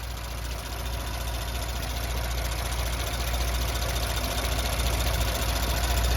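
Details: Audi B9 S4, 48k miles, after rocker arms replaced: smooth, even idle with steady low thrum and no ticking or knocking; engine sounds healthy.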